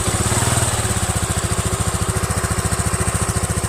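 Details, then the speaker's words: Rusi Flex fuel-injected motorcycle (no choke): steady single-cylinder putter about three and a half beats a second, rpm rising by itself at start then settling smoothly once stabilized; normal fuel-injected cold-start idle. "Hopefully, mapansin ninyo yung pag-start niya sa pag-andar, kusa siyang tumataas yung RPM niya. Tapos pag ma-stabilize na niya yung andar niya, kusa siyang bumababa."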